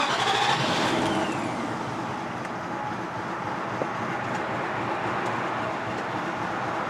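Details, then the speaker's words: 2003 Infiniti Q45 V8 with P0300 random misfire and power loss: engine catches and settles into a low, uneven idle that stumbles as if only six or fewer cylinders are running; rough idle with misfire. "as you can hear the video the engine sounds like two drop like nope and as you can see the idle right now seem to be low why because this one the v8 engine but simply not enough like a maybe only six cylinder running or less"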